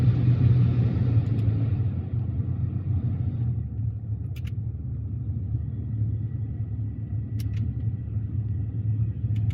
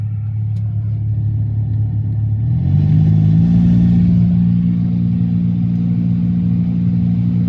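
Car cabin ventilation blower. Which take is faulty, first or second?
second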